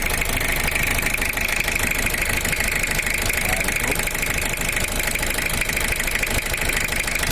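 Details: Toyota Kijang LGX with 2L diesel engine, owner complained of leaking-compression sound and rough uneven running; rough idle with hard knocking clatter about three beats a second and hissing blow-by; teardown found cracked pistons.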